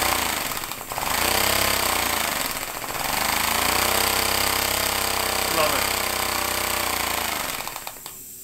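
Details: Homemade compressed-air engine at 50 psi with a small lever-operated diaphragm-valve throttle: quick, even puffing exhaust of roughly four beats a second, speeding up and slowing as the throttle is worked; normal running.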